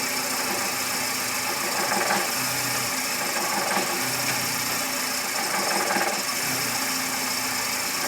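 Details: VW Gol G5 bought new in 2010, engine noise present since purchase and worsening: idle with hissy top end and dull low pulse about every two seconds; source unclear, dealer never resolved it.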